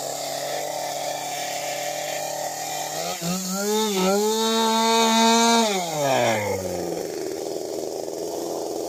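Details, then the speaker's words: STIHL MS 192T chainsaw after primer fix, before carb adjustment: steady buzz, revs climb and hold high before dropping; idle set too high with chain spinning, corrected by adjusting high, low and idle screws. "So, what you seen me doing when it was idling too high, chain was spinning, uh, is I adjusted the high end, the low end, and the idle."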